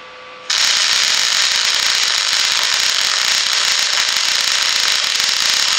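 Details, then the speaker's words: Miller Millermatic 251 transformer MIG welder running beads on a garden sculpture, compared with an inverter machine: steady crackling sizzle from the arc, even and consistent throughout; normal MIG welding arc. "okay so now that was the uh that was the Miller that was the Miller M so could you hear a difference in the sound"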